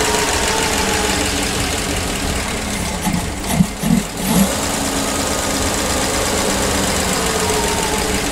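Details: PAZ-672 bus engine at idle after valve clearance adjustment with valve covers refitted: even, steady idle with no top-end tapping, a few brief bumps midway; the valve knock is gone, valve train quiet and healthy.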